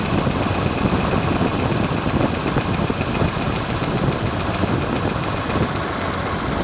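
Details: Freshly restored car's engine idling with belts slightly loose while timing and valve lash are checked: fast light ticking over steady idle from the open valvetrain as one rocker arm chatters, lash needs setting.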